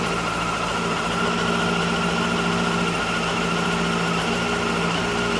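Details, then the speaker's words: 2002 Honda CBR954RR Fireblade just started after fuel pump fix, not run in years, cold: steady but slightly lumpy idle with faint wavering hum; rough cold idle that smoothed down after warming up. "It's idling a little rough, so I'm gonna let it warm up and check it out."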